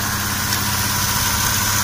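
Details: Toyota 1JZ-GE idling: steady low hum under a bright, crackly hiss and squeak from the accessory drive belt area; drive belt tensioner pulley suspected, to be replaced, not confirmed.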